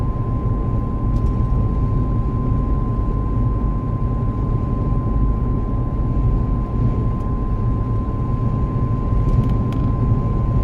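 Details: Steady high-pitched whine holding one pitch above road rumble at about 70 km/h; dealer couldn't hear it, source unconfirmed.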